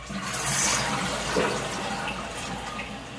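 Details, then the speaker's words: Niagara Stealth toilet (model N7714) after replacing the fill valve seal that caused hissing, slow fill and weak flush: strong rushing flush, then a steady quick refill with no hiss. Normal flush and refill. "now filled up pretty quick i'm just going to check the water flow here a nice strong flush filling up quickly again and we're done"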